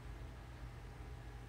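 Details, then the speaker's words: Juniper EX2200 24-port switch after swapping the original 12V fans for 24V fans: a soft, steady low hum with no rattle, whine or surging, nearly silent; normal quiet fan operation. "yeah so this we've got both of them working and it's absolutely silent the switch doesn't seem to be complaining so i'm gonna call that good yeah i can't even hear these fans"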